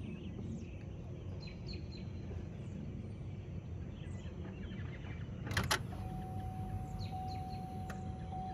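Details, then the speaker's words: 2007 Cadillac DTS with newly replaced power steering pump, tensioner and belt, started right after fluid fill; low idle rumble then steady mid-pitched pump whine from air still in system; quiets once pump takes in fluid. "It's going to be noisy, but it'll only be noisy till the pump gets the fluid in it."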